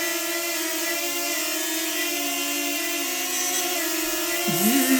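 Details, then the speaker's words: DJI Flip Fly More Combo drone: steady propeller hum with a brief swooping chirp, an intermittent whistle-like 'sneeze' from the propellers, clearly heard when the drone is moved; suspected factory issue, cause unknown, sent to DJI for checking. "this is snoring this is snoring sneezes like this is the issue that I'm talking about so when I move the Drone I can hear clearly"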